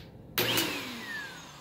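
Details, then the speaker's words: Bissell upright vacuum switched on with a loud rush and falling, squealing screech of the rubber drive belt rubbing and slipping; belt needs replacing — slipping, worn drive belt. "but since i'm ooh you can hear that screeching and rubbing"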